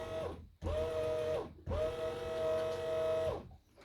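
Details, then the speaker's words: SeaFirst autopilot pump motor on a Mercury outboard setup, powered directly from a battery: two short bursts of steady, even whine that start and stop cleanly, turning the steering; normal pump motor run. "so it works it's Ste steering do steering I think that autopilot will be fine"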